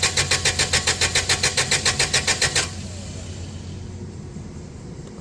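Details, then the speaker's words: Toyota 8FGU25 propane forklift, first start after oil pressure switch replacement: steady starter chugging at about 3.5 beats per second for over two seconds, then it quits without catching, because the gasoline/propane fuel selector was switched off. "Oh, look at there. It's off. Yeah, if you ever got one that's not running, someone's messed with you, flip that back to propane."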